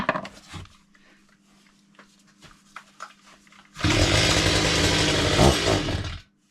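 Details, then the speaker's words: Chainsaw after repair with correct chain tension, full fuel and oil tanks, test run; revs up hard and high but thin and strained, surging without settling; running too lean on the throttle. "So, I have done a quick test run and it does not run as it should. [snorts] It's too lean on the throttle. Still seems to go very very lean."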